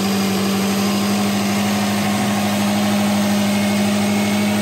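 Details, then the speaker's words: 2005 Subaru Legacy GT, turbo, automatic, 180,000 miles, after repair for hesitation, rough idle and low power with no codes: steady, smooth idle after idle relearn. Main fault was the throttle body coupler leak; a smaller intercooler leak remains. "The car already sounds 100 times better. I think our main issue was the coupler there at the throttle body."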